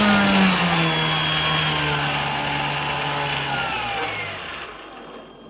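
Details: Brushless motor run on a 25C battery: rough buzzy whir with wavering tones, then winding down; abnormal motor noise, cause unclear.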